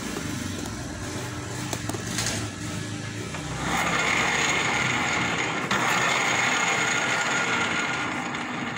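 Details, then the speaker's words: Yamaha Mio M3 scooter, rear wheel turned by hand: coarse, gritty ratcheting rumble from final drive gears whose gear oil keeps getting water in it; it also whines at speed but is silent at idle. "Suaranya sangat kasar sekali karena akibat oli gearbox yang di dalam sering bercampur air."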